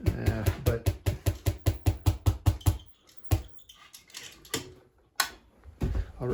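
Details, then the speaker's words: Solid-state Tesla coil (SSTC) with secondary base CT feedback, coupling raised, at about 35–40% variac: quick sharp chirps about 2.5 per second, then irregular bursts; owner suspects oscillation at a harmonic, unconfirmed. "It starts making this weird high frequency chirping noise."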